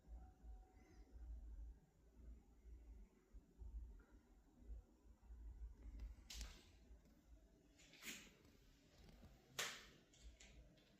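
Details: LG OLED 77-inch G5 TV while switched off: sharp, isolated cracks and pops at irregular intervals a few seconds apart in a quiet room; source inside the set unknown.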